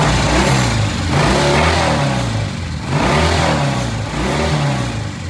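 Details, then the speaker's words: Original-paint 1966 twin picks up crisply from steady idle, revs rising and falling without stumble or hesitation after the pilot air screw was turned out about a turn and a half to two turns; the off-idle transition from pilot jet and air screw is now smooth. "idle all right did you know did you see the difference when it came off of idle this first eighth of a turn right here this is what's controlled by the pilot jet and the pilot air screw"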